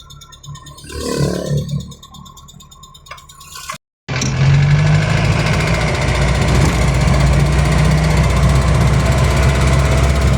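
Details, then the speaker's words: Van repaired after a rusty fuel tank caused stalling, on a test drive: loud steady engine with a dull diesel-like knock about four times a second under road noise, alongside tappet noise; piston slap. "Okey sekarang kau boleh dengar bunyi knocking dia. Ha tu bunyi knocking enjin eh dah macam bunyi enjin diesel."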